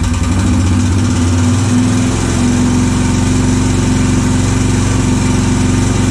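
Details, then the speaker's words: Honda 650 motorcycle, unknown year, non-runner with aftermarket Dyna coil and ignition, fuel drained, first start: loud busy mechanical clatter over uneven running, rough near two seconds; owner suspects crank or piston slap; rattle later stopped, slight smoke. "that don't sound good what the hell that's not good at all sounds like it's the crank the Piston's got a ton of slap"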